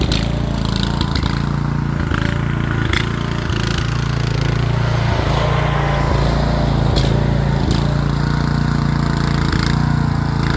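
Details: Rear-engine Snapper mower, Briggs & Stratton single-cylinder with new carburetor, stored over 10 years: fairly even low chug with slight unevenness, running steadily without the choke; owner thinks the carburetor needs a little adjusting.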